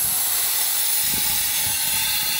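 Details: Carrier rooftop unit multiple parallel-path piston metering orifice manifold, isolated by cut piping, blown with nitrogen before torch heating the ports: steady, loud hissing rush with no change in flow; restricted metering orifices.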